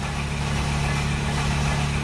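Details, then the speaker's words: 2008 Mercedes-Benz Sprinter diesel with a no-start problem: starter gives a constant low droning churn without the engine firing; long crank, no start, though it seems to be building compression and getting closer. "But we are close. This is a better sign. This is a good sign. Starting to build up compression."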